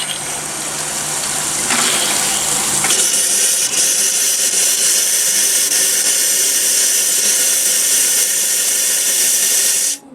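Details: Escape 19 ft display-model trailer, bathroom sink tap cracked slowly to blow out the lines: loud steady hiss with a little water spitting for several seconds, then cut off; normal air blowout with air flowing freely through the line.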